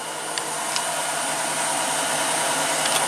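A steady loud whooshing hiss with faint light ticking through the spin cycle, possibly from the washer sitting off level.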